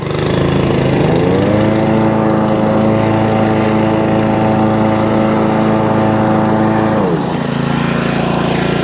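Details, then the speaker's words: Honda Pro Kaaz Lawnflight mower after gearbox repair, rotor clutch and drive engaged: engine picks up to a steady, even note that holds smoothly, then eases back; runs cleanly, drive pulls strongly. "Drive. Ah, yeah. Look at that. Oh, that's really strong."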